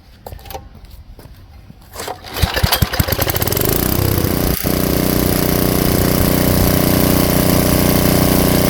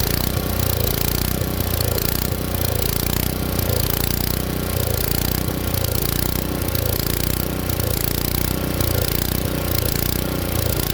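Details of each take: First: Tecumseh engine swapped onto an Ariens Jet rototiller, with the low-speed screw turned in and backed out one turn: a few pulls, then it catches and settles into a steady, even idle without hunting or stalling. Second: Tecumseh engine swapped onto an Ariens Jet rototiller, at full throttle with choke off; speed surges and falls about once a second, hunting because the main jet runs lean.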